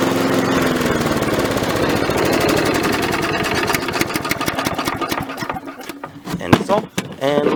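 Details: Repaired Victa mower cutting grass with the deck lowered. The single-cylinder engine fires fast and even, dips a little as it takes the grass, then settles; it runs sound and healthy.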